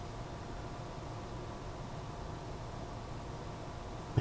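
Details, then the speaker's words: Corsair Capellix AIO CPU cooler pump on AMD AM4 with 3D-printed 4-corner brackets, heard through a solid rod held to the ear. A faint, steady normal pump whine with much less vibration than the stock mount. "Man, that's a sweet sound. A sweet, just the little whine of the pump."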